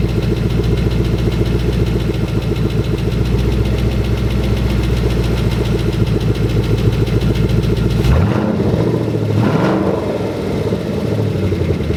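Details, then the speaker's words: Just-installed engine in a 2011 Mustang GT, first start at idle: strong V8 rumble with a faint quick tick and a short light rev; owner suspects an exhaust leak from a back exhaust section not yet attached; otherwise the motor sounds healthy. "there's a slight ticking noise but I think it might just be an exhaust leak there's a back section that's kind of like not on so it might be ticking through that"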